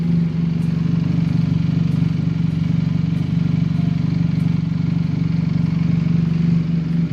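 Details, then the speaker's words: Benelli TNT 250 just after an oil filter change and a fill of Shell AX7 10W-40 semi-synthetic: a steady, even low idle with a smooth regular pulse and no knocks, sounding smoother with the new oil. Normal idle. "Untuk suara sih kedengarannya lebih halus ya untuk suara ya, karena mungkin oli baru ya."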